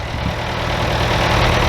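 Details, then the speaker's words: Bobcat 825 skid steer diesel idling after cylinder seal replacement, started with ether: even, steady low rumble with no knocks or misses; normal, healthy idle. "It's idling right now. Thing sounds good and healthy."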